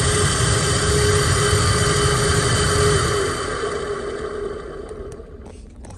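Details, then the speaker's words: Chevy Suburban (GM truck) HVAC blower motor, passenger side: loud steady whooshing roar with droning hum that sags; runs about half normal speed and noisy, failing blower motor needing replacement. "so let me show you how this thing sounds good it sounds awful it's probably it's been it's half as fast as it should normally was spinning it's going higher"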